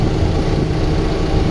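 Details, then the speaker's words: 2001 Honda Civic Dimension with fuel-injected petrol engine and automatic gearbox: a low, even hum at a steady idle with no stumbles, ticking or smoke; the engine runs very smoothly. "เครื่องไม่พ่นไม่ไอและก็ไม่ควันนะครับไม่มีสะดุดนะครับเดินเรียบมากๆเลยนะครับ"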